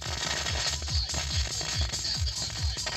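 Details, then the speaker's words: Mystery MAR-828 car head unit playing music: sharp crackles and pops in the right channel only, front right speaker, left channel clean; head unit fault, likely its amplifier, cured only by replacing the unit. "такой вот треск правом канале [музыка] маннитола именно правом канале в левом канале резко нет"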